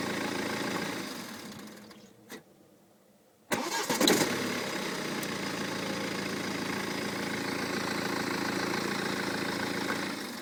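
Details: 2008 BMW 318d diesel, 140,000 km: starts and idles, then a brief fluttering flflfl rattle at shutdown, louder when revving; gone after timing chain and tensioners were replaced.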